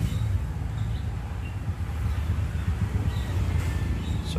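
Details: Suzuki Multicab K6A, previously wouldn't start: low, steady idle rumble with even beat, no misses or knocks; normal idle.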